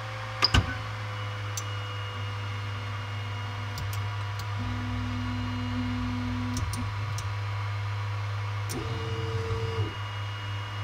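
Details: Creality Ender 5 Pro on first use: over a low hum, buzzing, wavering Z stepper motor grinding in bursts when the bed is at the top near the extruder or driven past its travel end; fixed by manually rotating the Z axis down.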